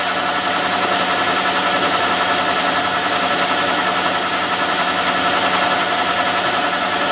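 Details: Bosch tumble dryer, replacement unit with the lint screen removed: steady even rush of air and drum hum with no knocking, scraping or squeal, heating normally.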